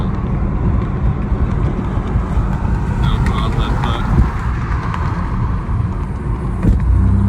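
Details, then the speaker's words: Boosted Infiniti G37 after blowing a power steering line on the highway: rough, uneven engine drone under road noise with occasional sharp pops; misfiring really hard and backfiring. "But it's like misfiring really, really hard"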